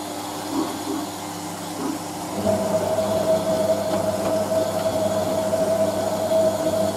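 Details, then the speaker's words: Hotpoint 9530 Electronic 1000 Plus washer, Programme 4 50°C Coloured Synthetics, polyester/cotton load, draining before first rinse: low gurgle from the plug hole, then steady pump hum with water rushing away; normal. "That's the plug hole you can hear doing that, by the way. Basically, machine fills and then the pump comes on."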